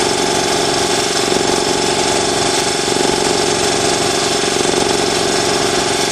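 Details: New Ingersoll Rand TS4N5 80-gallon compressor, 5 hp 230 V motor, 15.8 CFM at 90 PSI, 175 max PSI, cuts in near 140 and off at 170 PSI, in an uninsulated garage: steady, fast piston chugging with a constant hum, no knocks or rattles; normal running.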